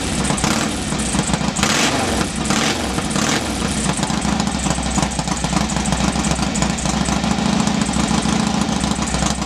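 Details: Norley cafe racer twin, first start in three years after refitting the cylinder heads and resealing the clutch slave cylinder: fires and settles into a steady, even loping idle with no misfires; a bit smoky, likely from oil put down the bores.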